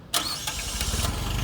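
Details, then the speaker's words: Yanmar diesel on a Jibbi 1250 EVO lift, cold morning start after glow plugs are held via the start switch: quick crank, catches at once and settles into a steady, even low clatter; normal start. "Of a cold morning, the Yanmar engine does have a glow plug. You would hold down on the engine start switch."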